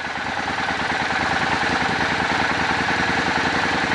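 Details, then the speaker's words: Old Suzuki Boulevard V-twin, carburetors synced, idle mixture screws turned for highest vacuum: even lumpy twin idle pulsing about three times a second, speed gradually picking up as vacuum increases; mixture adjustment. "Hear the engine picking up the vacuum increased. You're going to do that till you get the highest vacuum you can achieve."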